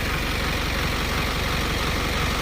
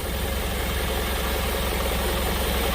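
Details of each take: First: Diesel engine after injector replacement, no fault codes on scan: even, steady idle with a smooth, unchanging beat and no knocks or stumbles; running normally. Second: Diesel truck that stumbles while driving, fault codes read by scanner: uneven, stumbling idle beat of about two to three pulses a second over steady clatter; injectors found faulty, to be removed for service.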